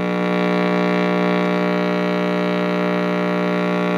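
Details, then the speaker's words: Heathkit T-4 powered on before repair; loud steady low buzzy AC hum in the audio circuit, unchanged by volume, attributed to the dual-section can electrolytic filter capacitor due for replacement. "all right the uh unit is on you can hear the sound it's making the volume really doesn't do anything that's just pure AC hel in the uh audio circuit"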